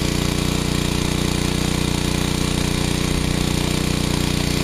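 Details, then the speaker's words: Generac 750 W generator after final adjustments with the air cleaner fitted, carrying a 350 W load (half its rating); the engine beat is even and steady with no hunting or surging, so it is running properly. "we're there it's no more searching and it's as good as it gets I believe I'm very happy with it now"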